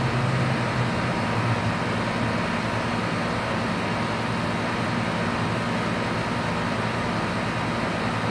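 A loud, steady rushing roar with a rough low drone that never changes pitch; the outdoor compressor is running with a grinding noise.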